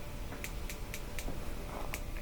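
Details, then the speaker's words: Gas grill with a single-AA-battery push-button spark igniter, dial at the lighting position: sharp, steady ticks about four a second over quiet room noise, with a visible spark; the igniter is clicking normally. "can even see a spark from the igniter clicking over to here now if you don't get that maybe you just need a new double a battery"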